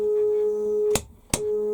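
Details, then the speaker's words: Newly finished lathe stepper motor feed drive at full feed speed, direction changed on the fly: steady, even mid-pitched hum with two brief clicks, no squeaks; healthy drive. "um i can change direction it's now running the other way i can change direction on the fly no squeaks or worries about it at all with that"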